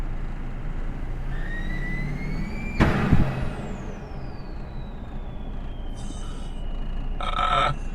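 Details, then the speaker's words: Ford 6.0 Powerstroke diesel with new high-pressure oil pump, new oil cooler and used turbo, driving: high whistle rises with boost, then a sudden whoosh and falling scream as the upper turbo intake boot blows off, leaking boost. "I just blew the [Laughter] boot crap oh man [Music] oh it's the upper boot"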